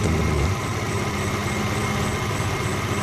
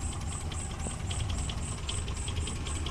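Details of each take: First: Suzuki Carry Extra with engine shaking: lumpy, uneven idle with a loping beat about four a second. Suspected dead spark plug or too-narrow contact points gap; the spark plugs are checked with the engine running. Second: Suzuki Carry Extra that shook and limped, after replacing one dead spark plug: steady, even idle below 500 rpm with light regular ticking, no stumble or shake; normal idle.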